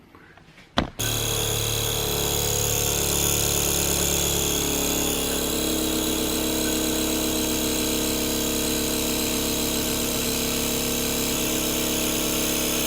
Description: In this video, I demonstrate how to stop the annoying vibrating noise after you flush your toilet.